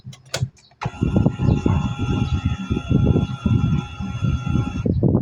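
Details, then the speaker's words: Euro 150 fuel-injected scooter-type motorcycle that suddenly won't start, key-on check: steady electric fuel pump whine for about four seconds then clean cutoff; pump primes normally. "Pero syempre bago natin i-check ah i-check na muna natin yung kanyang pump kung tutunog kapag inon."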